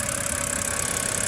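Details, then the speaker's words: 2010 BMW 328i xDrive that had misfires and shook at idle now idles evenly with a steady hum and no stumbles after all six ignition coils were cleaned; fixed. "and you guys shouldn't have a problem because my car is running really really good right now because of that simple fix"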